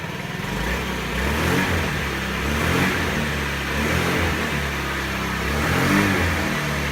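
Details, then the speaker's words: 2017 Honda Ruckus after fuel pump and fuel filter replacement to fix bogging and stalling on throttle: revs up crisply on each blip and drops back clean with no bog, throttle response improved. "That sounds better, definitely better throttle response."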